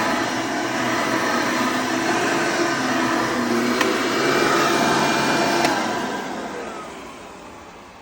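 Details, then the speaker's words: Hoover Elite vacuum test run after motor replacement with a new motor: strong, steady high-pitched roar with no rattle or grinding, then a smooth wind-down; sounds beautiful, motor healthy. "Sounds beautiful."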